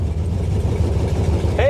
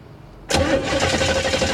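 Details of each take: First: 1968 Camaro sitting since 1999, after cleaning up the connections: the V8 fires right up on a small fuel charge in the carb bowl into a deep, steady rumble with no stumble or knock, sounding healthy. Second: 1968 Camaro sitting since 1999, cranking with the tester on plug number one: the starter spins at an even cranking rhythm but it never catches; no spark at all.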